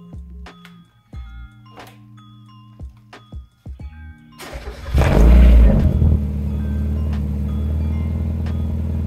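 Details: 1990 NA Mazda Miata with a newly fabricated custom straight-piped exhaust, replacing the OEM pipe that fell off: it cranks and catches, then settles into a deep, steady, even idle with no rattles or blowing. The exhaust sounds healthy.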